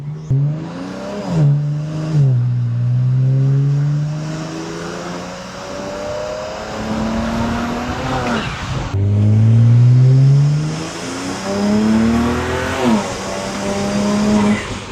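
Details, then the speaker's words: BMW 335i with replaced automatic transmission, untuned engine, sport mode: revs climb and drop cleanly at each upshift, no bang or clunk; smooth, quick shifts versus previous slamming. "such a big difference. That's insane. It feels like a whole different car."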